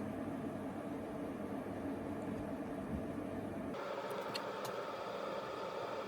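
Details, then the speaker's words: 1990s Swan Teasmade kettle starting to boil: steady rushing hiss over soft low rumble that settles partway; kettle heating and boiling normally. "Okay, so it's 10 to 6, and I can hear the kettle starting to"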